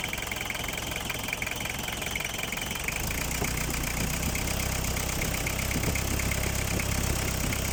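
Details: Mitsubishi Canter 4DR5 diesel after cylinder head gasket replacement (oil had been getting into the radiator, leaking valve): steady, even idle about 220 beats a minute, low rumble, no misses or knocks; healthy.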